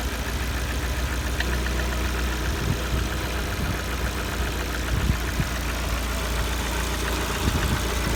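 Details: Lada Kalina 1.4 petrol at 70 °C coolant, idle: a steady low rumble with a faint irregular knock riding over it; the cause is unclear and the owner wonders whether it needs an overhaul or can keep running.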